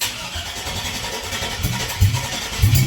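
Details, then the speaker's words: 2001 Cadillac Escalade 4.8 V8 mud-truck project, not run in a while: starter churns, uneven pops and thumps, it catches briefly but won't keep running. Spark is confirmed; fuel injector pulses are hoped for, not confirmed. "Oh, she's popping off. So we got spark. That's good. We've got fuel injector pulls."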